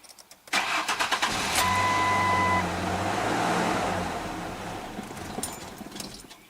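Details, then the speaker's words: 2002 Ford Ranger 2.3, 200,000+ miles, fuel pump fuse 23 pulled to depressurize before fuel filter change: starter cranks a few quick beats, engine catches about two seconds then dies with no fuel pressure, as intended. "It may start for a second and then die, and if it does, we know we don't get any fuel pressure."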